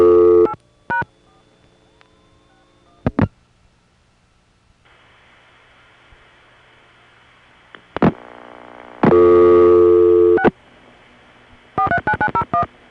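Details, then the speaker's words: Normal crossbar ringback: a steady, slightly gurgly ring burst of about a second and a half, clean and even; the gurgle comes from equipment on the line. Shown for comparison with subtly off ringtones on a crossbar 1. "Ah, there. Now see, doesn't that somehow feel better? It's gurgly because of the equipment on the line, but it's the real item."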